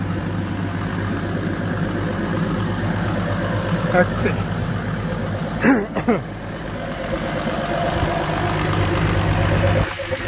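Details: Evinrude E-TEC G2 200 HP outboard, thermostat removed, after clearing a foreign object blocking water flow that caused code 25 EMM temperature fault; steady low idle hum with a few handling knocks; idling normally.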